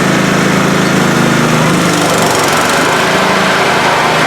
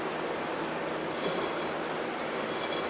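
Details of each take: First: Older Scotts 1642/1742 mower after spindle, pulley and belt repair on the noisy deck: steady, even engine drone with blades engaged, no knocks or squeals; now sounds normal. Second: Scotts 1642/1742 riding mower deck, long neglected: steady gritty whirring rattle as a spindle pulley spins freely, a worn dry bearing; all the pulleys are noisy and the belt is worn.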